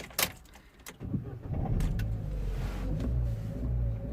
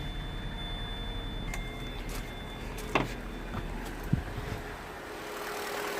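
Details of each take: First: 2011 Vauxhall Corsa D 1.4 petrol after sitting a few days, code P0223, limp mode and spanner light: short crank into low, lumpy idle that barely holds and stalls; revs okay when held, drops off when released; reversed airflow meter upsetting mixture. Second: 2011 Vauxhall Corsa D 1.4 petrol, brought in idling very poorly and cutting out with code P0223, started on a low battery: fires and settles into a steady, even idle with no misses; runs cleanly, though another warning light is flashing.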